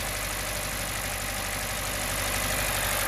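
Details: 2017 Hyundai Elantra with check engine light, code P0301, engine visibly shaking: uneven, stumbling idle with lumpy beat about three times a second, cylinder 1 misfire from a failed ignition coil; engine previously ingested flood water.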